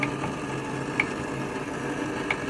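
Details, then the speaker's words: Newly installed domestic hot water recirculation loop pump, just filled by opening the valves: loud steady hum with a sharp tick about every second and a half, suspected trapped air; it got much quieter after bleeding. "Alors lui il tourne, il fait du bruit mais il y a peut-être de l'air dedans. Il fait vachement de bruit là."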